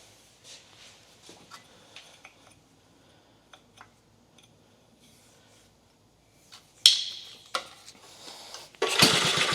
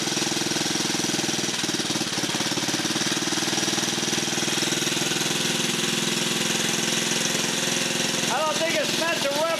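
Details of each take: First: 1950 REO engine, pull-start attempts after refilling fuel, fixing a leaking fuel fitting and removing the air cleaner with choke up: hard pulls with brief chuffs, engine turns over and tries to fire but doesn't catch yet; cranks but does not start. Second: Rare 1950 REO single-cylinder small engine, just revived, air cleaner off: even, lively beat with busy mechanical chatter on top, steady with no misses; healthy normal running.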